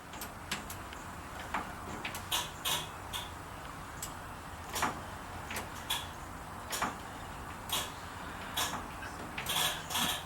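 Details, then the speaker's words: VW Beetle turning the key: sharp single starter solenoid clicks about one per second, engine never cranks; dirty ignition switch suspected, cleaning it made it start on the key. "the solenoid but it won't won't crank so what we're gonna do let's take this ignition out and I'll bet you it needs a good cleaning"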